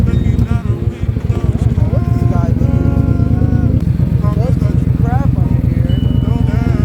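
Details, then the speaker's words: Ford Mustang Coyote V8 with 19 PCM codes, misfire on every cylinder plus camshaft position sensor codes: lumpy, uneven stumbling beat from an engine misfiring on all cylinders. "Okay, every cylinder is misfiring. Every one."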